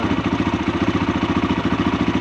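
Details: Kawasaki KLH140L idling after an ultrasonic cleaning of its dirty, clogged carburetor (before, it ran only on full choke, then not at all): a quick, even putter with no misses or stumbles; clean, steady idle after repair.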